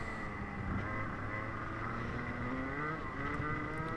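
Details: Rotax Senior kart racing in the wet: engine revving and easing through corners with a rough, uneven high-rev note, down on power and losing a lot of time; driver unsure of cause, suspected wrong gearing.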